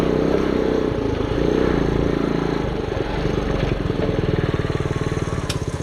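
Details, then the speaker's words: 1974 Honda Trail 90 (CT90) that sat from 1984 and was brought back to running: it fires on one kick and settles into small, even putters at a low idle that has been bumped down. Normal idle. "yeah she fires right up like i said the idle's bumped down a little bit right now"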